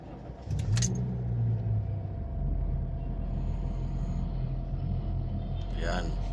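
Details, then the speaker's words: 2018 Honda City, inside cabin: engine starts and settles into a heavy booming low drone with strong steering wheel vibration, caused by flattened, worn engine mounts; engine itself fine. "so ito guys Napakalakas ng Ugong makina so damama talaga dito sa loob"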